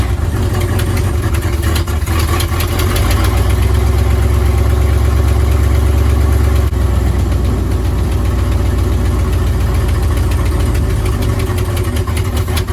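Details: 1955 Buick Roadmaster V8, revived after sitting 20+ years and fed from a fuel jug: deep, steady rumble settling into an even run without misses or knocks; runs well.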